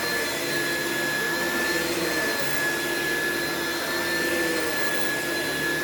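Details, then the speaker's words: Classic Oreck vacuum without height adjustment running on carpet: steady loud roar with high whine sagging in places; brush roll bogging down, straining belts, slight burning smell after short run. "the brush rolls just bog down on these and it causes a lot of wear and tear on the belts"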